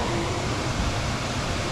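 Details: HVAC air handler blower after a blower relay replacement; the complaint was high humidity, high bills and a blower running constantly. It now gives a steady, even air rush with the earlier buzzing gone. Normal operation.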